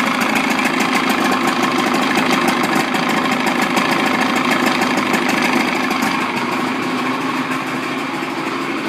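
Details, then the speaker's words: Evinrude 55 outboard running in a water bucket after throttle cable adjustment: even, quick firing pulses at steady pitch with no misses or knocks; runs smoothly, fast and powerful. "So you can see that the engine runs really good and fast and powerful."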